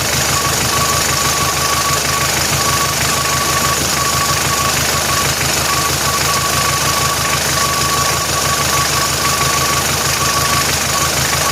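Engine runs at a steady idle with an uneven knock, roughly two a second, over the hum; an abnormal noise, cause unknown.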